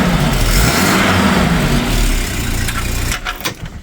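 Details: 1987 Volvo 240 GLT, 2.3L Redblock, idling after an ignition coil replacement and rewiring to fix an intermittent no-start: a steady low rumble under the hiss of rain, bonnet closed. Sounds healthy.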